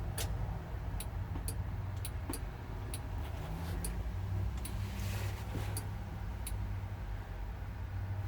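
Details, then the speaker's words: Kubota L4330HSTC tractor after stalling, key untouched: sharp dry clicks about twice a second over a low hum, a relay underneath tripping on and off like a breaker; cause not yet known. "You can kind of hear almost like a breaker. It's tripping on and off."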